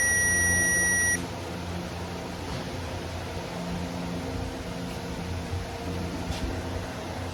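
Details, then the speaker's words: Circuit tester on an ag truck's wiring, red probe on the positive side as the switch is flipped on: a steady high beep for about a second, then quiet cab background. The circuit is live and working properly. "So I flipped the switch on, off and on twice there. You could hear that it was working properly, getting fire, so that's what we want."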